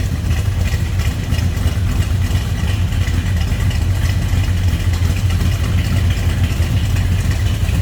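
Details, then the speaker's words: 1968 Dodge Dart GTS with a 340 V8, its factory engine size, in neutral indoors: deep, even burble with a steady, smooth rhythm and no knocks or misses; normal healthy idle. "That one will turn some heads, no doubt about it. Sounds good, looks good."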